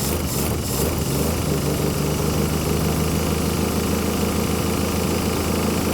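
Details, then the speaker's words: 1966 Plymouth Barracuda Formula S V8, sat for decades, first start with a leaky carburetor dumping fuel: a steady, even, smooth idle with no knocks or rattles, a little smoky, until it ran out of fuel. "that's smooth it's like it never even stop what the heck wow it sounds good too a little Smokey"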